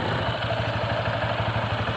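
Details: Honda Vario 160 after fixing a no-start where the starter only made a sound, traced to a jammed left-side CVT part: the engine settles into a quick, steady, even idle without clunks or misses and runs normally.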